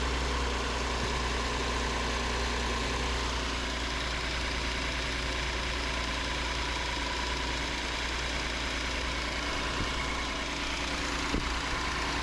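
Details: 2019 Hyundai Santa Fe XL 3.3L GDI after new serpentine belt installed: smooth even idle, steady low drone, no squeal or chirp; accessory drive healthy.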